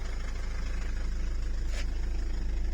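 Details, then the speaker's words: Mitsubishi Delica/Pajero 2.8 diesel idling, foot off pedal, after tightening a slack throttle cable and adjusting idle speed: low, even chug with steady pulse; previously the whole vehicle shook. "but this is so much better before the whole thing was just shaking"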